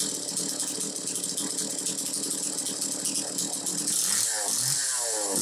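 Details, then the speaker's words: Homelite Super 2 chainsaw, possibly around 1990: high buzzy two-stroke note holds steady, revs up and drops back cleanly without stumbling; normal running. "so anyway you hear it it's running good"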